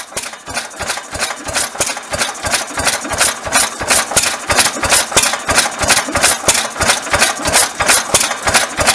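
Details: 1922 Bentall Pioneer 3-4hp engine from Maldon, UK, running after a rebuild. Crisp, even exhaust beats at about three per second, regular and unhurried, with no knocking or misses; healthy.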